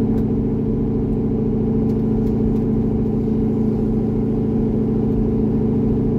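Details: C6 Corvette V8 after an aggressive cam and long-tube header swap, on a revised HP Tuners idle tune (about 80% done): steady, settled burble at low revs, no stumbling or surging. Normal idle.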